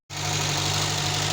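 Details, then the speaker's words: Renault 11 Junior 1.4 engine after rebuild, push-started due to starter problems, running from a temporary fuel can, smoke from washed engine parts: steady low hum, even unbroken idle with a smooth hiss, no knocks or misses; idling cleanly. "Y bueno, tuvimos que empujarlo porque tenemos problemas con el arranque. Ustedes lo escuchan como suena. Terminar de hacerle algunos retoquecitos, pero bueno, quedó en marcha el 11."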